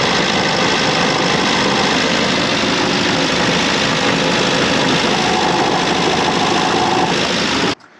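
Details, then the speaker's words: Austin 7 with a multi-spark ignition upgrade and new Champion plugs, idling, noise carried to the mic through a rod: rough, uneven idle with a low rumbling beat from the bottom of the engine. Big ends or bearings are suspected but not yet investigated. "it is a definite rumble bottom of the engine, so we've definitely got big ends or bearings or something's not quite right down there."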